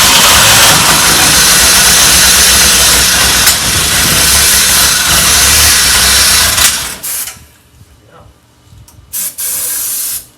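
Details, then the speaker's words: 1984 Pontiac Fiero unstarted for over 30 years, on a new battery: loud hissy running for about seven seconds on sprayed fuel, then it dies. It won't keep running; owner suspects the fuel pump, with the relay heard clicking at key-on. "thing is running we just got to figure out how to keep it running and uh it's probably fuel pump or something it sounds like the relay's going going off when we turn the key"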